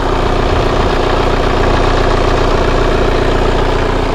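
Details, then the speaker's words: Kia Carnival diesel at idle: steady, crisp, even clatter with no misses or uneven beats, meaning injection pressure is balanced and every cylinder fires evenly; healthy idle. "Oke suara mesinnya harus seperti ini ya Nah seperti ini jadi suaranya itu Hai stabil renyah satunya kalau stabil itu tekanan Nose itu imbangnya David Sular yang keluar menghasilkan ledakan itu setiap silinder itu rata biarkan mesin sampai panas"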